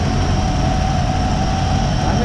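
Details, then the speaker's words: 1957 Chevrolet whose lifter ticking faded after running a while: an even, deep V8 warm idle with a steady low rumble and no top-end ticking. Normal warm idle. "maybe it just needed to be around a little bit considering how long it's at but it sounds really good now very pleased"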